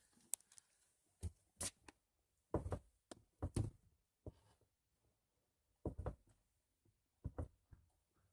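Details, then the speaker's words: 2005 Toyota Sienna front driver's door after repair, with the gap on the hinge bracket closed: the door swings and shuts several times with clean latch thuds and no popping or creaking; normal door operation. "so I closed the gap on this bracket here and here and now it no longer makes popping sound I'll let you hear it"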